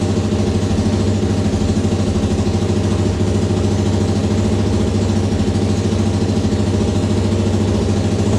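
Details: Suzuki LTZ400 single-cylinder restarted after engine work, with about half a quart of oil added. Steady, even idle with a constant beat, no knocks or misses, holding speed without hunting.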